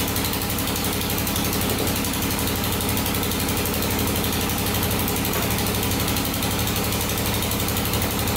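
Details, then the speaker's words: 2001 Honda 400EX single, rebuilt, after readjusting loose valves and tightening the cam chain: steady, even idle with no ticking or rattle and no smoke; sounds healthy. "that sounds pretty good that's a lot better sounds really good no smoke cool"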